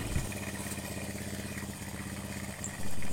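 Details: Honda Supra X 100 single-cylinder after replacing valve guides and valves, checking oil reaches the head; steady even low putter with no ticking or knocking, healthy idle; engine had leaked oil past seals from a blocked crankcase breather hose.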